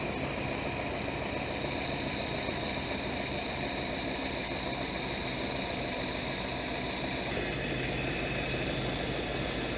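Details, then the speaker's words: Ford-script Willys army Jeep flathead after the carburettor idle circuit was cleared: a smooth, even idle with a soft steady patter and no top-end ticking, quiet with no valve train; healthy. "Gotta love flathead engines, they just run so nice and quiet. There's no valve train to make noise."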